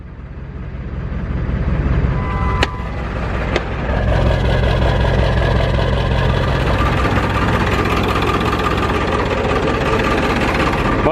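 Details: Diesel truck after parts install to fix hard starting: short crank, catches quickly and settles into a steady, even idle clatter; starts normally now.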